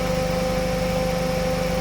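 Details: Suzuki Ciaz idling with AC on after replacing noisy AC compressor clutch set, compressor oil, and receiver filter, 34° outside: steady smooth hum and faint tone, no rattle or clutch noise; normal idle with AC running.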